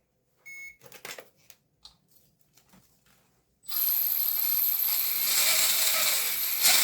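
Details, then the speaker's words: Redcat Gen 7 Unimog RC truck with portal axles: the electric drivetrain spins up with a harsh gritty whir and thin high whine from worn motor bushings and bearings, plus worn transmission bearings; due for a rebuild. "you can kind of hear the bearings and the bushings and the mudder are not happy um some of the bearings in the transmission are also I'm not really happy so it is kind of due for a rebuild"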